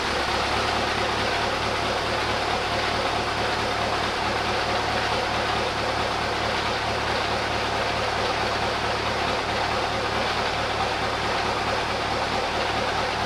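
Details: Mack CL713 truck, pre-emission V8 998 cubic inch diesel with Mack 13-speed, after winter repairs, just started in the shop: steady, even idle with a deep low rumble and no knocks or misses; sounds healthy.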